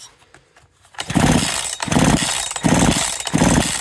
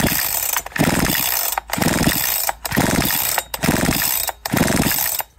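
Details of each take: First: Husqvarna 372XP big-bore chainsaw with 272XP pop-up piston trick, rebuilt with thicker head gasket after the piston hit the head; squish slightly loosened. Saw revs in bursts with a clean rasp, the metallic piston tap now gone. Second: Big-bore Husqvarna 372XP chainsaw with a 272XP pop-up piston, dry-built and turned slowly by hand: a light metallic tap at the top of each stroke as the piston kisses the cylinder head; squish set too tight, tap disappears when loosened.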